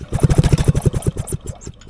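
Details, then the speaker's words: 1979 Polaris Gemini single-cylinder snowmobile engine clamped to a bench and rope-pulled after cleaning the points: rapid compression chuffs slow and die with no firing stroke. No spark seen, no start. "I didn't see any spark. No sparky."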